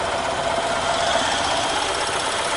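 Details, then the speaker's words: EZGO Workhorse golf cart Robin ST350 single-cylinder engine, after a carburetor clean and starter change, running on an external gas feed with no breather fitted: a steady, even buzzy note with no misses or surges; normal running. "well that that's a nice running Little Engine"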